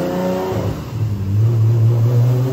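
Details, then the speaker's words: Rat Rod 2JZ Supra on the shop dyno, two-step, traction control off (setting two): a hard pull that turns ragged and stuttery as boost builds, shaking the car. It made 1,040 hp; misfire under boost. "it was definitely doing it definitely did it and you still made 1,40 horsepower yeah shaking the whole car man golly"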